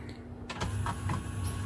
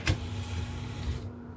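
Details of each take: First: Technics SL-P170 CD player with tray not opening; slow straining whir from tray motor in repeated bursts with clicks when eject pressed, sounding labored; worn loading belt suspected, grease/oil overspray seen near track. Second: Technics SL-P170 CD player after loading belt replacement, tray motor driven from an external supply: brief, smooth motor whir over a low hum, stopping cleanly after about a second, without the earlier labored sound; tray drive sounds healthy.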